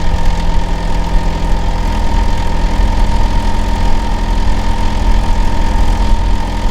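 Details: Neighbour's Hitachi air conditioner outdoor unit in winter, running year-round and especially loud in summer and winter, disturbing sleep: a steady, loud low drone and hum with no rhythm, cause not clear.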